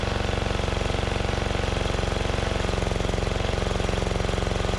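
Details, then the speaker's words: 2004 Craftsman DYT4000 riding mower, Briggs & Stratton engine, revived after sitting in a field, run on a temporary carburetor: steady, even single-cylinder thump about three beats a second, no misses or knocks; motor sounds good. "i just wanted to see if i could get something on here and uh run some fuel through it so motor sounds good"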